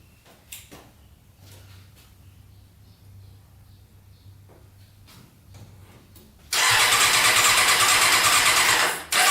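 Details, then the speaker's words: Custom Yamaha Banshee with Suzuki Katana 600cc engine, after stage 4 jet kit, cold start with choke: fires and runs loud, high revving, not settling; throttle sticking, carburetors to be removed to fix. "the throttle might be stuck i think the throttle is getting stuck we have to take off the carburetors and twist that throttle in a little bit more"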